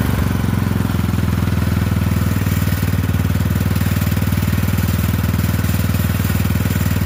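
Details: Poulan 12538 riding mower, 12.5 hp single-cylinder, after new carburetor fitted, brake on: steady, even idle with no misses, knocks or hunting; sounds healthy.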